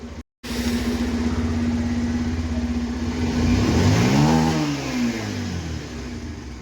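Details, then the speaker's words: Bajaj Pulsar 125 BS6, previously hard-starting and misfiring, after the closed-up spark plug gap was corrected: engine runs steadily and revs cleanly with no stumble or misfire. "अब बिल्कुल सही हो गई है bike."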